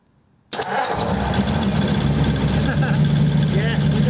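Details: 1933 5-window coupe with a worn flathead engine, sitting nearly three years: catches within a second of cranking and settles into a steady, even low burble at idle; normal start and idle.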